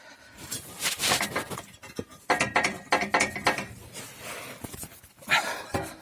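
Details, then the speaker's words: Seat Toledo, rattle while driving initially thought to be a loose exhaust; tinny irregular metallic clatter from the exhaust downpipe heat shield protecting power steering fluid, its clamp nuts apparently came off; loose heat shield rattle. "ездят тарахтит что-то не пойму думал выхлоп открутился что ли тут такая штука"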